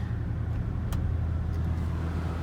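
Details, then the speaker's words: 2008 Volvo XC90 driving after CV joint replacement, all-wheel drive (Haldex) restored: steady low road rumble, even engine note, no rhythmic clicking or clanking. Suspension noise gone, axle and joints sound healthy. "No more click sound. The suspension noise is gone too."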